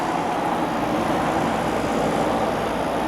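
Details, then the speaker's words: 1982 Emerson Quiet Kool 7400 BTU air conditioner, dump find, cooling with air at about 50°: steady, even fan and compressor whoosh, no rattles, knocks or pitch swings; normal running. "it's working pretty well blowing out nice and cold there"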